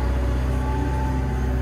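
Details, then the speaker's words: Construction machine after tapping the pilot accumulator: steady engine drone with no bucket rattle or shake on sharp direction changes, boom and bucket hydraulics now smooth. Smooth hydraulic operation. "Yeah, it's much smoother now. Before, when I changed direction, you'd hear the bucket rattle and it'd give itself a bit of a shake."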